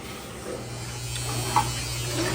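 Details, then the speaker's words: Hotpoint HTW240ASK6WW top-load washer, after fixing a bad belt that caused codes 31, 28 and 26 and tightening the motor pulley, in diagnostic test: steady motor drone with smooth agitating churn, no slipping or stalling; normal wash action. "These things have a good wash action. Look at that."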